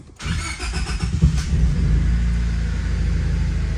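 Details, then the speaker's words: 1999 Honda Civic, manual, just after fuel filter replacement: cranks briefly, catches right away and settles into a steady, even idle with no misses or knocks; healthy start before a test drive. "oh we're good sounds good Yep looks like we're good let's take it around the block really [Music] quick"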